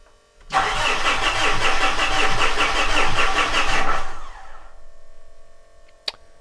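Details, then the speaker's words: 2013 Mitsubishi Fuso FG 4P10 diesel truck in creep mode, no codes left, after replacing EGT, SCR, DPF pressure sensors and electric fuel pump; steady fast cranking with uneven puffs, never catches; crank no start, owner suspects only one injector firing. "cranking I don't think this is going to turn out very well now it did kind of sound like it was trying to fire maybe on one cylinder so maybe I have an injector that's firing and three that aren't which is probably a little more concerning"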